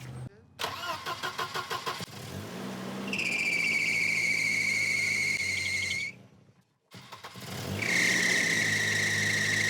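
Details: Volvo 240 after timing belt replacement, warming up: it cranks, catches and settles into a steady, even idle, shut off and restarted the same, with no exhaust ticking or puffing; normal.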